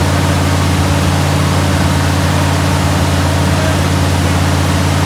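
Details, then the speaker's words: 396 big-block Chevelle started for the first time: deep, steady, even rumble with no knocks or misses; a hose not yet tightened; healthy, smooth idle. "oh hose ain't tightened down sounds pretty good though yeah it does sounds healthy man"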